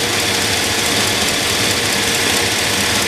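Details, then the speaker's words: 2001 GMC Yukon 4WD 5.3 L V8 with cylinder 6 misfire: fast, sharp ticking over an uneven, missing idle from the driver-side cylinder head; plug boot shaking, spark plug found loose. "so it's not supposed to move at all the spark plug is loose"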